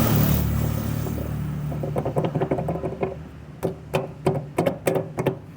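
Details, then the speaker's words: Washing machine: low motor hum then uneven clacks and knocks as the basket rattles with much play from a worn drive shaft and ratchet; springs also rusted; shaft and ratchet need replacing. "ela tá com muita folga a o problema é o seguinte apecar de outro eixo só que aí vai ter que comprar o eixo comprar essa catraca aqui que é onde vai no eixo porque essa aqui já tá gasta né"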